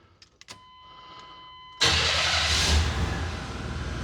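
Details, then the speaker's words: 1994 Ford OBS truck, not started for a week, with an exhaust leak: a few clicks, then the starter catches and the engine fires straight into a strong even run. "There we go. Back to normal. Cool. Calling that fixed."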